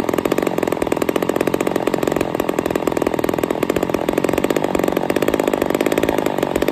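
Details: Ported Poulan 245A chainsaw with bow bar, first start, cold: screaming two-stroke holding high, buzzy, slightly peaky revs with fast even firing; running a little lean, starving a touch, needs carb tuning.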